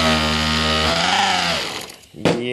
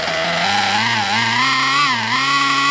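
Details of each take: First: Nitro RC engine on a garage break-in bench, first tank, on a 50-degree evening, just started with glow igniter: high buzzing note sags and nearly dies then revs back up, blubbery, needle set way too rich. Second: Nitro RC engine on break-in bench, first tank, heat gun used to raise temperature, after adjusting low-speed needle: high buzzy engine settles into a steady even idle after brief pitch dips, normal idle.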